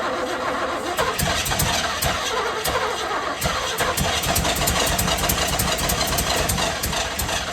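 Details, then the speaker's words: 1978 Chevrolet Camaro with rebuilt, apparently cammed 350 small-block V8: repeated cranking, fires briefly and sputters but won't hold idle; throttle plates found opened and adjusted, later throttle linkage not returning. "They are opened a lot. They're all adjusted properly. They're all good. Why isn't it idling?"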